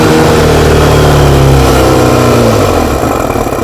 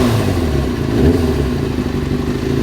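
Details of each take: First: Motorcycle with 155 jets after carb refit, running from a temporary secondary tank, no air filter/restriction fitted: revs hard then pitch sags and dies within about four seconds; owner thinks it may need more fuel. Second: Four-cylinder carbureted bike reassembled after fixing rich running (previously bogged and stalled when warm at tickover): smooth settled tickover holding steady without dipping or stumbling, steadiest idle it has ever had; normal idle.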